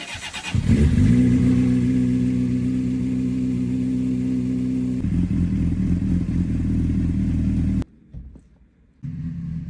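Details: Honda CBR600RR that wouldn't start even after battery recharge, now repaired: fires and holds a smooth, steady idle, then picks up cleanly when revved; runs as it should.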